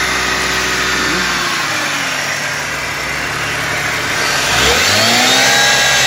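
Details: BMW E46 engine running with a harsh, raspy metallic grind over idle that rises with revs; cause unknown: metallic grinding noise.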